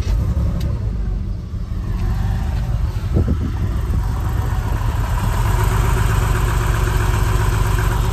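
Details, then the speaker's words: Porsche 996 at idle: a slightly uneven, lumpy beat with an occasional stumble. It is a misfire from failing ignition coil packs, to be fixed with new coil packs and plugs at a major service. "it's misfiring still at the moment which of those coil packs so it's not gonna be that much fun driving it down there"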